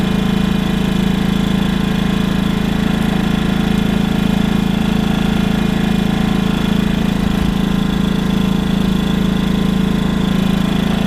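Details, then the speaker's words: WEN 56200i 2000 W inverter generator, new and still burning off factory oil, in eco mode under light load from the trailer's fan and lights. Steady, even low drone with a constant beat, no speed hunting or knocks; normal running. "So right at the moment I'm running the fan and all the lights in the trailer. And that's what she sounds like."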